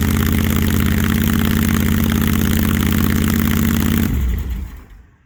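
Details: Supercharged big-block 1968 Barracuda, first start with timing not yet set and head gaskets later suspected: lumpy, uneven idle with irregular pulses about three a second, then shutdown; idling rough, cause not yet found.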